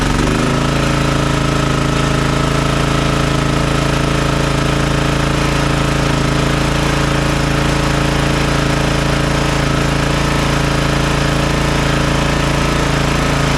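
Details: Toro TimeCutter MX4200 74765 zero-turn, had smoked and died off choke; on fresh ethanol-free fuel with fuel lines refitted: steady even single-cylinder drone with solid low hum, no stumbles or surging; running smoothly, earlier cause unknown.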